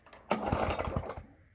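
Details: Toro lawn mower with a 3.5 hp Briggs & Stratton engine, cold December morning start after priming: a brief burst of uneven popping for about a second, then it stumbles and dies; it won't keep running.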